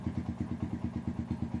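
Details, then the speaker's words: Honda GL Max single after fixing a loose cam chain, shifted cam timing corrected and the lower chain guide fitted: even, steady thumping with no clatter or ticking, no longer rough; oil circulating. Normal idle. "baik dan bagus untuk suaranya sudah sedikit halus sudah enak. tidak kasar seperti tadi lagi."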